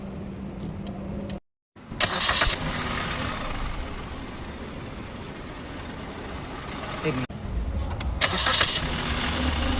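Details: Car engine after water pump replacement and coolant refill cranks, catches and settles into a steady, even idle with no whine or knock; water pump noise fixed.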